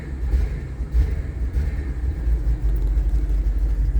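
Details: Audi RS5 at idle, no foot on pedal, engine light and tire pressure warnings on: low uneven lumpy idle with occasional stumbles; rough idle.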